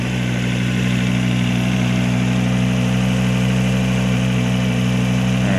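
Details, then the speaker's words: Volvo XC70 just after a timing belt job and wire harness rewiring, upper motor mount not installed: freshly restarted engine idling steady with a low, even hum. No stall occurs in the clip, but it previously ran badly once it came down off the idle. "it's got to come down off the idle this is last time when it really started running like a piece of dog crap"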